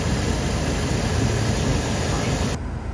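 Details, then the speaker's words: Blower motor stuck on full speed: loud constant air rush from vents that won't switch down, confirmed faulty blower resistor module. "Now you don't need to do this, the actual blower resistor module is faulty, but we'r"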